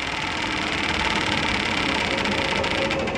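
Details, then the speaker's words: Domestic hot water meter (backup meter) installed backwards, spinning in reverse with water flowing: loud busy mechanical whirr with fast uneven ticking about three to four a second; running reversed is noisy and destroyed the meter. "lorsqu d'au tourne à l'envers et bien ça veut dire qu'il est monté à l'envers et il fait du bruit"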